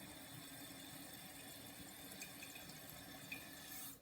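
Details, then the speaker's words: Toto Drake toilet just fitted with a new Fluidmaster 400H fill valve to cure a thud, water level reset about half an inch below the overflow tube; steady refill hiss cuts off cleanly just before four seconds, shutting off properly. "so i just flushed again to see if the water level would come up to the right size after i or the right spot on the overflow tube after we reset it so it should stop any second here"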